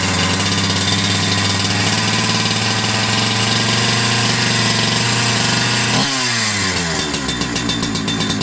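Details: Holzfforma G372XP chainsaw (Husqvarna 372XP clone) after new carburetor and low/high jet adjustment: two-stroke holds steady crisp high idle, then drops smoothly and keeps running without stalling; normal running, fuel pickup tube found too short.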